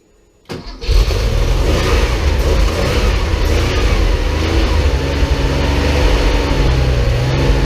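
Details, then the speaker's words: Porsche 911 flat-six restarted after 10 years of storage, with a new fuel pump and filter, a temporary fuel supply hose fix and a cleaned tank. Catches after a brief crank and goes straight into an even, steady idle with no misses or knocks; normal idle. "Smooth, really. Much smoother than I thought for not having run in."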